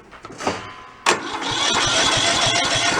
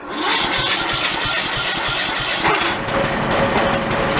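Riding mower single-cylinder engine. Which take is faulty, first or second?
second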